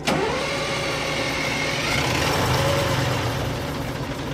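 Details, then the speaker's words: AVGP Husky armoured vehicle diesel: starter turns engine over evenly, about four beats a second, but it never catches; fuel reaches engine but isn't used, later traced to malfunctioning injectors. "so after trying to start the engine a couple times it became clear that while fuel was being fed into it the fuel wasn't actually being used"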